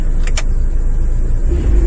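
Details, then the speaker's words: Dodge Caravan 2.4 after repair of the AC-related thump: deep engine rumble pulling off in gear with the AC on, no thump at take-off and a normal-sounding accessory drive. A faint whine may remain, cause unconfirmed. "but thanks for watching and hopefully this will help somebody out and all that so it looks like no more thumping noise"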